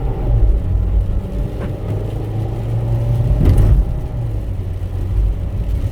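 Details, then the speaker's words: Pontiac Vibe (Toyota Matrix/Corolla underpinnings) after swapping in a used Corolla engine with 90,000 miles, driving on a miserable day: steady low engine drone under light road noise, no knocks, engine runs smoothly and healthy. "motor runs great it really does run great so these people are going to be very happy"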